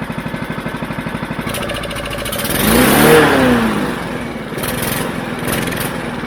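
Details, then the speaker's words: Mountfield HP414 petrol mower that started then died, running after cleaning the dirty carburettor; steady even idle with no hunting, clean smooth rev rise and settle; engine running well. "now not down it's not revving it's not going all over the place at all and when I manually rev it it revs up [Music] cleanly"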